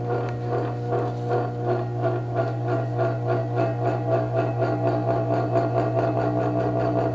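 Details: Vintage 1937 electric fan running unoiled: steady motor hum with a loose, uneven clatter, about four taps a second; owner suspects a loose part with slack, hoping oil cures it.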